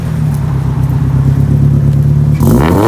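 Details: Turbo Nissan SR 180SX Type X blipped from idle with a new 3-inch stainless lobster dump pipe; clean deep even exhaust note, no rasp or rattle, sounds healthy.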